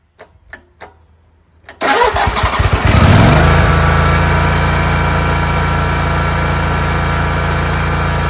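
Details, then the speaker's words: Scag Tiger Cub 48" commercial zero-turn mower with a start-and-stall fault, after reconnecting the loose choke linkage: a few clicks, then the engine catches and settles into a steady, even run with no stumbling or surging. Normal running, called fixed. "I don't know fellas I'd call that pretty fixed"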